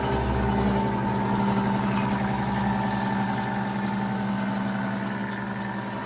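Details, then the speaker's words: A 90-year-old Gilbarco GMB 80 gas pump, rebuilt and pumping fuel: a steady, even motor hum with a light, quick rhythm and no knocks or rattles. It runs smoothly and is fully operational. "She runs quite smoothly after 90 years."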